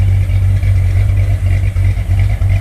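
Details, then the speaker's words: 1968 Corvette 383 V8 on default program set for sea level, with crossover, just after start: deep slightly loping idle, even firing; healthy cammed engine, needs dyno tune for altitude. "With the crossover, it's evened out the exhaust. It's not lopey like it was with the natural carburation, but you can still hear the cam. Still fairly lopey."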